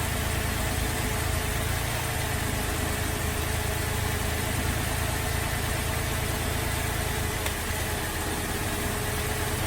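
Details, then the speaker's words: Holden VZ Adventra Alloytec V6 idling very rough with a lumpy, stumbling misfire from one dead cylinder; disconnecting coils one at a time shows the number 5 coil pack has failed. "It's running very rough and we'll disconnect a coil at a time and see which one we think is bad."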